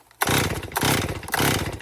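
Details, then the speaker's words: Hot, heat-soaked 2018 Stihl MS261 M-Tronic chainsaw with a complaint of hard starting and bogging when hot: four quick pull-cord cranks with brief sputters, then silence; won't start. Vapor lock suspected, tank vent to be tested. "Like if you had a dull chain on it almost and you had poor quality fuel, you could be vapor locking it right now. But let's give it a try. And it won't start."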